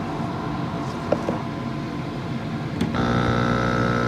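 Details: Active Aqua air pump after securing the diaphragms with zip ties to cut vibration: after a short rattle it settles into a steady, even low hum with no clatter; quiet and healthy.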